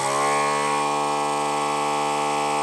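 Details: ZD-915 desoldering station vacuum pump after repair, running while pump voltage is measured with multimeter (about 12.5 V, nominal 12 V, stable): steady even-pitched buzzing hum for nearly three seconds, cutting off cleanly; normal running.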